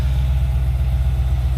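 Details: 1995 Chevrolet Impala SS LT1 V8 idling after replacing brittle vacuum hoses to the throttle body, purge solenoid and valve cover hose to fix vacuum leaks; steady, deep low rumble with an even, unbroken pulse, normal idle.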